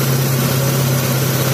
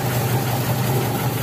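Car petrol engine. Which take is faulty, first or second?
second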